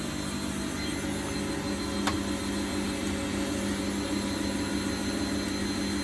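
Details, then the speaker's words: Bosch WFF1800 washing machine, owned 9 years and untouched for about 3, on an empty-drum lower spin: a steady, loud rushing hum with faint tones that sounds rough. There is a tiny dribble of water; the owner thinks he should check the motor brushes. The cause is unconfirmed. "Doesn't sound great. So while it's spinning, there's a tiny dribble coming out there, but nothing worth talking about because there's no laundry in it to relieve of water. Doesn't sound great on the spin."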